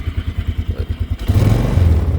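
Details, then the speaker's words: 2002 Polaris Sportsman 500 H.O. ATV, single-cylinder four-stroke, about 500 engine hours, after a cold start and warming up: even low thumping idle at a steady beat, then a smooth throttle blip; runs fine. "she's warming up now, so I'll get you on the GoPro."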